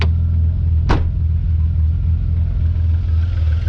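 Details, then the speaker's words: Red Vauxhall Astra saloon, started by hotwiring at the workshop; deep smooth even rumble holding steady at idle, no knocks or misses; running healthy. "hmm running really nicely just pumping away there soon my beauty"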